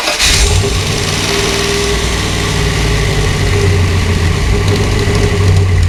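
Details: Dodge Dakota R/T with 408 V8 and Shaker hood: it starts and settles into a lumpy idle with a faint fast tick over the rumble. New noise; owner suspects valve lifter tick, not confirmed.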